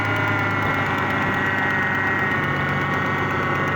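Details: 2001 Ford Mustang 3.8L V6 at cold idle: light ticking knock, faint under the engine hum, that goes away once the engine is warm. Power steering is also noisy despite having fluid. Cause unknown.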